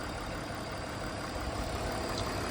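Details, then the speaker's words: 2001 BMW E46 325i wagon, 250k miles, inline-six after cooling-system repairs, driven without problems; low, quiet, even idle with no knocks, ticks or speed hunting; no leaks, idling normally. "But for the most part, everything's quiet, nothing's leaking."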